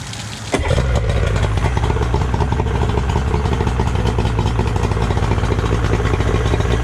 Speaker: so here's a yamaha 90. there's nothing really wrong with it other than i need to detail it